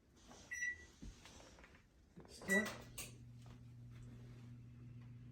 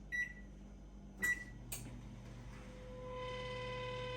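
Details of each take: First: Samsung range oven, 2010 and later, after replacing the squeaking convection fan motor: after some handling clatter, a smooth quiet steady hum holds with no squeak or rattle. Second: Samsung range oven (2010 and up): two control-panel beeps, then a steady high squeal rises as the convection fan motor spins up, and the motor is to be replaced.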